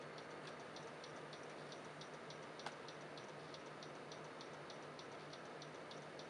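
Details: Computer stuck on startup repair and won't load: sharp light ticks repeating two or three times a second over a faint hum; owner suspects a failing hard drive, unconfirmed.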